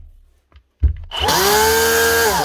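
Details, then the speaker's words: Dewalt cordless tool with good but slightly chipped blades, found to have worn bearings after a piece of plastic bag was ruled out: spins up to a steady, slightly rough whirr with a hard whine at full speed; bearings to be changed. "No. That is the bearings. These changed out. That should quieten it down."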